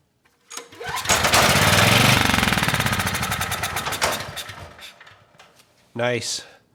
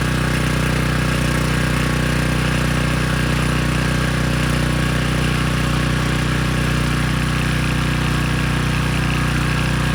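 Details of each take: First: Briggs & Stratton Storm Responder generator that won't start, spark and compression confirmed, air box off: cranks and fires rapidly for about three seconds on starting fluid, then dies; fuel not getting through, carb likely needs cleaning. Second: Briggs & Stratton Storm Responder generator after carb cleaning, water-fuel fix, new brushes and bridge rectifier: steady even drone, regular beat about four a second, no surging or misfire; output 132.5 V, 61.5 Hz.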